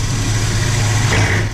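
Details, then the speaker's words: Landa VHP5-3000 propane-fired hot pressure washer (5 gpm, 3000 psi), complaint of no heat and shutting off in use, flow switch triggered with a magnet: steady deep roar, even drone; burner lit and firing properly. "another thing is that red lights on I can hear over here the burner is working"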